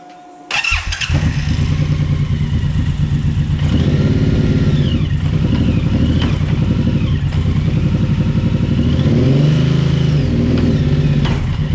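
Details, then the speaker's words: Suzuki Boulevard M109R V-twin starts and idles with a loping beat and a dull knocking; visible engine movement, with the knock caused by a worn rubber front engine mount. "yeah so you can see the engine movement you could actually hear that knocking which is shows that the rubbers worn"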